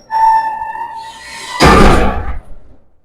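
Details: Garage door with steel rollers, recorded from inside while closing: high steady squeal then loud rough clatter; before replacing with nylon ball-bearing rollers.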